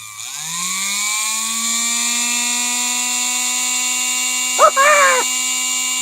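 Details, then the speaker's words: Previously dead Singer Featherweight sewing machine motor, retested; spins up within a second to a high, clean, steady jet-like whine, strong and even, running normally. "that sounds like a jet airplane that sounds like a jet airplane are you kidding me"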